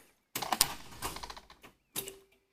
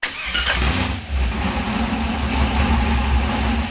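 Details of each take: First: Junkyard 6.0 LS with 4L80E from a Chevy 2500, swapped into a 1979 Camaro: starter catches with a harsh rattle, engine locks tight at one spot, retry stalls too; seized, problem found in cylinder 8 (blown-up engine). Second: 1979 Camaro with a junkyard 6.0 LS V8 swapped in to replace a blown 6.0 from a 2500 Silverado. This is the first start after reassembly. The engine catches and settles into a steady, even low rumble with no knocks or misses, a healthy idle.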